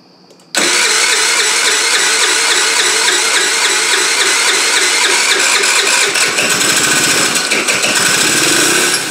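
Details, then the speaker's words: 2013 TaoTao scooter after carburetor work; small engine catches but runs raspy and uneven, surging without a clean idle; owner suspects fuel delivery problem, possibly a non-working fuel pump; engine struggling to run. "okay sounds like a fuel delivery problem and I'm wondering if we may have an issue with this fuel pump maybe it's not working"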